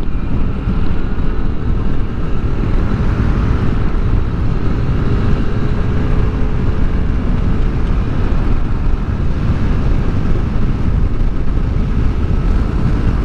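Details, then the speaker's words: Yamaha Aerox scooter riding after fitting a Honda torque drive bearing and new center spring: steady low drone under road and wind rush with a faint even tone, no grinding or vibration anymore; drive now quiet and smooth. "Saka okay na, tahimik na yung ating motor, no. Wala nang maingay na nag-grind."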